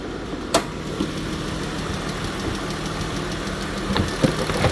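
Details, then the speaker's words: Jeep Grand Cherokee, possibly 2017, likely 3.6 Pentastar V6, ticking complaint; even idle with a faint light tick steady with idle speed; valvetrain tick, source unconfirmed, possibly no worn camshaft; valve covers to be pulled. "Yeah, a tick that small could have zero worn out camshaft. So this customer could actually get lucky."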